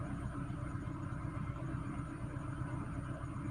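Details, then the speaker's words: Peugeot 307 2.0i after fixing a vacuum leak, cold start: even, steady idle with a low rumble, RPM no longer surging up and down as before the repair. "okay much better than yesterday yesterday when you start it at Co start uh the the RM will be jumping up and down I think it's much better now"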